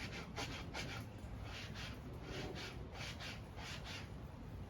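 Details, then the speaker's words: 2021 Yamaha YZ250 front fork with Race Tech springs, spring just polished, hand-stroked: soft even swish, no scraping or grating; much nicer sound and feel than the unpolished spring. "This is the other fork that I just polished. Much nicer sound and a better feel too."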